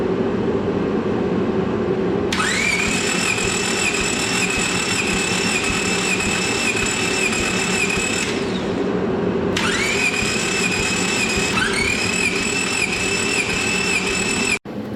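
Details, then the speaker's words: Honda Civic EK D-series engine cranked at full throttle for a compression test: long steady crank bursts with even pulse, starter whirring up each time, no hitch or clunk; normal cranking, cylinders about 120–125 psi. "we're going to be testing this with full throttle and uh just spinning a couple times and see what we get"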